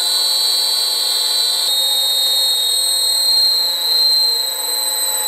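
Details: Old lathe motor on the previous VFD: constant high, piercing whine with a steady pitch over a quiet motor, likened to a tornado siren; drive-fed motor noise, cause unconfirmed.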